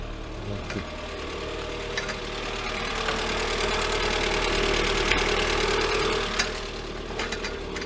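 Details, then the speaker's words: Lada Granta 126 engine, first start after full rebuild (bored block, new bearings, 82.5 pistons, new timing kit and valves): idles heavy and laboured with steady light tapping about four beats a second; cause not yet known. "Ух ты, как тяжело-то. Первое время. Как тяжело работает."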